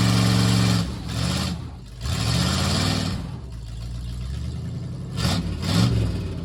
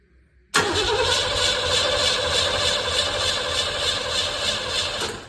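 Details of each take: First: 1958 Plymouth (body swap) running and driving for the first time in over 40 years, on temporary ignition switch: engine pulls up and settles with some rev swings, running steadily with no knocks or misses; normal running. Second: 1958 Plymouth after body swap, not run in over 40 years, being hot-wired: steady starter cranking for about five seconds with no firing; cranks but won't start. No spark suspected, possibly insufficient fuel; not confirmed.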